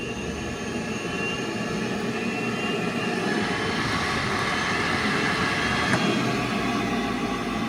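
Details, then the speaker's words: Neglected Bosch Singular 5200 boiler with an A6 ignition failure error, fired for combustion analysis with both zone valves forced open and the TT jumped. A steady, even burner roar and smooth hiss, no popping or surging; it fires normally. "The boiler is ready to do combustion analysis, so now we'll turn it on."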